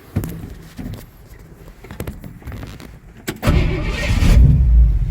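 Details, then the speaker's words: 1968 Ford F100 with electric fuel pump, start during rebuild, heard from outside: clicks, then catches at once and settles into a strong steady run with no misses; normal start. "Starts right up."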